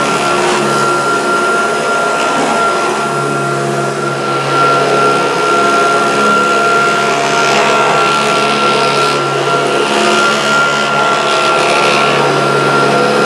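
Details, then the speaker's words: Kirby upright vacuum: steady motor roar with a fast, uneven rattling chatter on top; owner suspects the fan or an incorrectly fitted agitator, cause unconfirmed. "it's got a noise, isn't it? That's not right. And I think that could be down to that fan, perhaps, or I haven't put the agitator in correctly."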